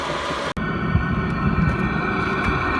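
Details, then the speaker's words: Chinese all-in-one diesel heater in a small van, heard from outside at full output after cabin reached 23°C: steady even roar with constant fan hum, no surging or sputter; normal operation. "So this is what it sounds like outside when it's in full operational mode. Well, that's quite a bit quieter once it calms down."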